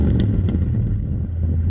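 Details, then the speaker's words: 50-year-old Chinook camper, stored in a field and unregistered since 2003, started with starting fluid and jump box: low, steady rumble with no knocks or misses; old engine idling evenly, running pretty good. "But it needed a little bit of persuasion with the starting fluid and the jump box to get it started today, but as you can hear, it's running pretty good."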